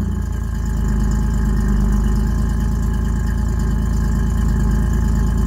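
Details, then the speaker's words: Ford Ranger 3.0 cold idle before a header install; exhaust is 3-inch to 2.5-inch, three-chamber Flowmaster and 3-inch dump over the axle, no cats, O2 sensors zip-tied to the frame: deep, loud, open rumble with even pulses and no misses. Normal. "we're going to fire it up cold see what it sounds like with how it is before the headers then"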